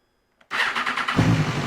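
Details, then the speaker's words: Salvage crash-damaged BMW S1000RR, cold start after battery charge and boost pack: starter spins briefly, engine catches within a second into a steady idle, warmed up before an oil change; starts fine. "hey he's [Music] alive all right I'm warming it up because we're going to change the oil and if you warm the oil up it gets thinner less viscous"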